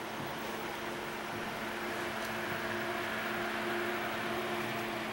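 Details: Steady smooth airy hum with a faint even tone, no grinding or rattle: a newly installed rear case fan (three-speed control) in a 5-year-old Antec computer case, replacing a failing grinding fan, spinning cleanly.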